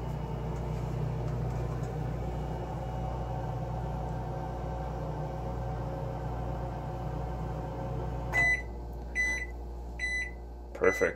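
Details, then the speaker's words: Microwave running on a DIY Nissan Leaf battery pack with a Reliable 1500 W inverter; battery sags from 23.3 to 20.4 V. Startup sounds a little funky, then even magnetron and fan hum and four end-of-cycle beeps: normal operation. "yeah we just started okay yeah startup sounds a little weird funky but it is working pretty good"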